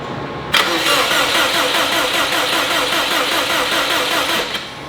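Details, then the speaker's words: STI-swapped Subaru 2.5RS on its first start attempt, with the injectors dumping fuel; it keeps trying to start even with injectors disabled, giving uneven churning that never catches. Owner suspects way too much fuel. Crank no-start from flooding. "I have injectors disabled right now and it's like trying to start. Why is it wanting to start? You guys hear that? You're okay, bud. I'll try pulling fuel out. I think it's got way too much [ __ ] fuel right now."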